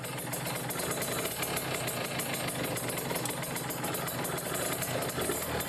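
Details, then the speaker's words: Kawasaki Ninja RR two-stroke, stock engine and stock Mikuni 28 carburettor with racing exhaust, choke on, air screw set rich, held about 2000 rpm: heavy, blubbery, uneven running from an over-rich mixture. "jadi Posisinya itu kayak decu kalau di cukup tambah parah lagi nih gini settingannya basah ya karena mentok berasa banget pas deh kalau dibuka satu putaran pun ini masih basah contohnya Suaranya kayak gini nih basah itu seperti kalau kebahasaan banget"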